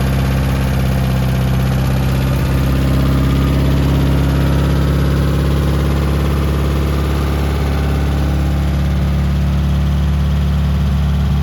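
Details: 1972 Toyota Celica, swapped used 18RC engine, Weber 32/36, first start in 20 years, exhaust not properly fitted: low, slightly uneven smoky idle with loud raw chuffing from underneath above the engine note; exhaust leak.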